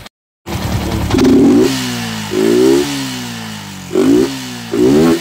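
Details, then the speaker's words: Sniper v2 motorcycle blipped four times, revs surging unevenly and stumbling: hesitation and misfire under hard throttle from fluctuating fuel pressure; fuel filter unchanged for years, spark plug next, else suspected fuel pump motor. "hapon sniper ang problema niya ay nahagok o namamalya ag binibiritan ngayon chinck natin fuel line. Ito na-find out natin. Nagfa-fluctuate iyung kanyang fuel pressure."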